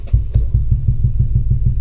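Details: VW Up TSI, fault in the 3rd cylinder, spark plug suspected after plug test with engine running: lumpy idle, steady stumble about every seventh of a second, one cylinder not firing; misfire at idle, cause not confirmed.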